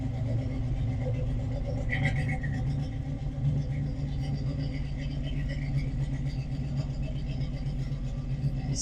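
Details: 1972 Chevy Nova restomod V8 at idle: deep, steady low rumble with an even beat and no misses or knocks, a healthy engine with a good exhaust note.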